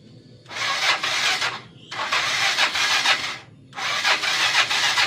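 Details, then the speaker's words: Motorcycle left unused over the holiday: three rasping starter bursts never catch, weak cranking from an old discharged battery; fix is charging it (laptop 14–19 V charger), replace battery if no improvement. "Kenapa enggak bisa? Karena akinya atau baterainya ini sudah lama ya."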